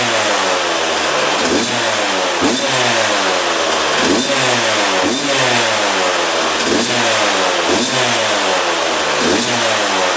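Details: 2001 Yamaha YZ125 two-stroke, first start after fresh top-end rebuild, new pipe and cleaned carb: idle hangs high and hunts, surging and sagging about once a second; air leak at intake manifold.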